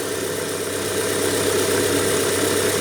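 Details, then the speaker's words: 1997 Rover 200 R3 engine idling, not yet at temperature, radiator fan not yet kicked in: smooth even idle with steady hum, no knocks or ticks; normal idle, head gasket believed already done. "I can't hear anything really obvious. The fan hasn't kicked in yet."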